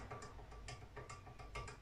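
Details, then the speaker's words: Piaggio Ciao moped with a 65cc Polini engine, cold and turned over by hand: irregular dry clacks and rattles. Suspected excess crankshaft bearing play, not confirmed, so the engine is being torn down. "là j'ai bien peur que on se retrouve avec un trop de jeu dans les roulements le bruit qu'on entend ce jeu là"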